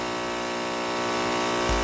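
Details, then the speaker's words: Ryobi RY142711VNM electric pressure washer that was tripping the house breaker, after the CBB60 capacitor repair: even, steady hum with clean buzz and no surging, drawing about 3.5 A once started; motor running smoothly. "It's only pulling 3 and 12 amps once it gets started. And it seems to be running just fine."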